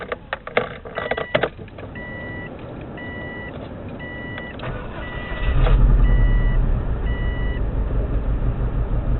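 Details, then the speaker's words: 2002-03 Subaru WRX EJ205, warmed up: chime beeps then a lumpy idle with stumbling, uneven beat and noticeable engine shake; cylinder 3 misfire not fixed by spark plug, owner suspects cracked valve. "Doesn't tick or anything, just that's misfiring. When I first got it, it was misfiring on cylinder 3."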